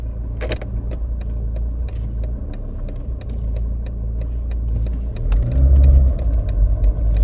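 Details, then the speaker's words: Mercedes W203, recorded inside near right front door speaker while driving rough road: irregular metallic knocks, about four a second, neither ringing nor dull, from torn rubber bushing of right front strut top mount bearing. "стук как будто на подвеске что-то открученная металлический стук он не сильно звонкие не сильно глухой"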